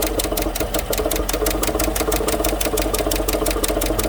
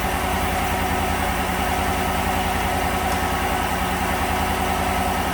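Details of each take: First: 2015 GMC Sierra 1500 Denali 6.2L V8 at idle: sharp, even tick about seven times a second from the passenger side, a loose rocker caused by a bent, broken pushrod on number 6 intake. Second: 2015 GMC Sierra 1500 Denali 6.2L V8 after replacing the broken number 6 intake pushrod and valve cover gasket: steady, even idle with no valvetrain tapping, MAF disconnected earlier; running much better, shaking slightly.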